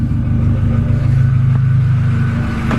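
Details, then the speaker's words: Honda Civic D16Z6 engine after valve stem seals and head gasket replacement: deep, steady note held evenly under throttle, no knock, tick or misfire, running smoother; tappets still to adjust, a bit of smoke remains. "So yeah, no, it's going absolutely spot on."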